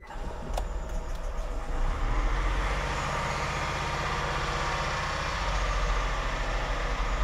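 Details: 2001 Honda Insight gen 1 hybrid, off the road 7 years, started in a garage with bonnet up: quiet, low, even three-cylinder idle smoothing after a few seconds, no knocks or misfires; normal cold idle.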